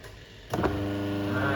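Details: Twin-tub washing machine whose wash tub wouldn't run and spin tub turned slowly, testing the wash motor after capacitor replacement: click then clean, smooth steady hum, no grinding or knocking; wash motor turns freely.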